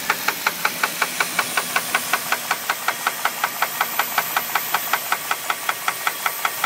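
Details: 2001 Jeep Grand Cherokee 4.7 at idle: sharp, even metallic knocks, about 160 a minute, over a quiet idle. Owner asks whether it is rod knock or something else; unconfirmed.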